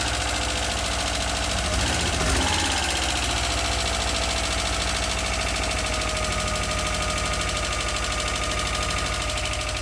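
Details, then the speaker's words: Subaru EJ22 just reinstalled and restarted, in neutral, warming up: loud idle with a fast, fairly regular light top-end ticking. "definitely some weird sounds two weird sounds there's that tick which you could probably hear"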